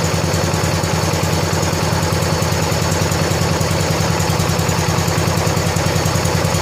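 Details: 1970 John Deere 140 H3 garden tractor single-cylinder, just after replacing a severely leaking blown head gasket: even thump at steady idle, no misses, hiss or knocking; fired right up, runs smooth and quiet, burning off some oil.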